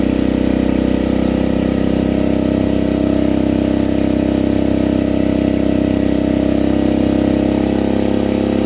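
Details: Vintage generator: steady, fairly high hum, running flat out; owner feels it runs faster than it should, and the generator gives no output, possibly a ground issue; overspeed suspected, cause unconfirmed.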